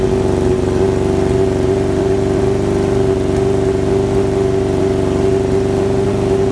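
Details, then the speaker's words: Kawasaki ZX7R after carb cleaning: held revs give a smooth, steady four-cylinder drone with no stumble, much more responsive than before. Idle adjustment works again; owner assumes old fuel or debris in the bowls. "um like I say it fired up pretty pretty well um and it's more responsive than it was before"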